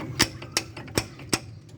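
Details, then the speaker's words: 2005 Chevrolet S-10 Executive, about 20 years old, front wheel removed, no engine running; four sharp metallic clacks about a third of a second apart as the loose brake caliper strikes the wheel, as it did when braking. "Ó, pessoal, esse barulho aqui que eu tava ouvindo, ó, né? Ó. Só que quando freava aí, a pinça batia na roda aqui, ó. Acaba batendo na roda."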